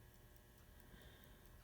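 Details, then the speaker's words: 1970 Oldsmobile Cutlass Supreme clock after flywheel lubricated: faint, light ticking over a quiet background with an occasional louder tick as the self-winding solenoid fires; movement now works, automatic advance not working. "so if you listen carefully you'll hear the clock Pepa louder tick than all the others at some point in its operation and that is actually the solenoid activating"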